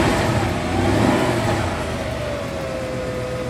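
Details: Car stereo with amp, speakers and subwoofer, engine running, radio off: whining hum through speakers rising and falling with engine rpm; ground loop, fixed by running a ground from stereo directly to amp.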